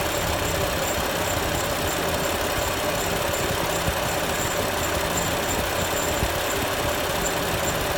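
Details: BMW M4 at steady idle with a faint, thin chirp repeating evenly with engine speed. A squeak somewhere on the running engine.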